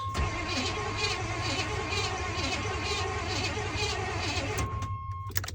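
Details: 1987 Chevy K5 Blazer 350, long-sitting non-runner, plugs back in after clearing ATF: starter turns the engine at a steady slow beat, about two turns a second, cranking without firing; fuel pump suspected out.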